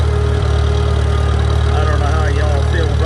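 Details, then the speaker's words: Antique Farmall tractor at a steady warm idle with no knocks or misses. It was left in the rain overnight, so there is some moisture in the distributor area, and the temperature gauge is slow to come up. Normal warm idle. "engine sounds good"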